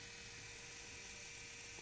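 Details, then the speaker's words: John Deere 7420 after Stanadyne DE10 injection pump replacement for ECU 1076 code: with the key on and the engine off, a faint steady high whir from the electric lift pump bleeding the fuel system; running normally. "That's the electric pump going."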